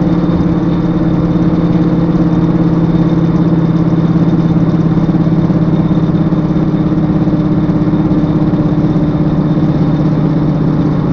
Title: S60r loud noise from rear end.